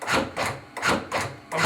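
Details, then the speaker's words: AutoPulse CPR device: even, repeating compression strokes about every 0.4 seconds with no hesitation or grinding; normal compression cycling. "now there's times actually once you get them on this that's going to tell you to ventilate that's the 30 compressors give you two three seconds to do two ventilations"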